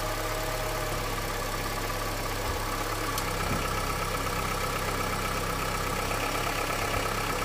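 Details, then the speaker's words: Honda CR-V, about 200,000 km, cold engine idling in Drive on 5W-30 oil run 5,000 km: light uneven top-end tick over engine hum; engine knock being compared against thicker 10W-40 oil, cause not determined. "Сейчас я поставлю на треногу и пойду включу передачу драйв чтобы услышать этот тук масло 530 мотор холодный нейтралов драйв а"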